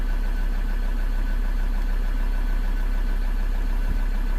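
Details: 2013 Ford Ranger 3.2 L five-cylinder diesel, just restarted after a crank-no-start fix and fuel bleeding, idling to charge a low battery: steady idle with an even low clatter of about three beats a second, no miss; an injector code is stored but no misfire is felt.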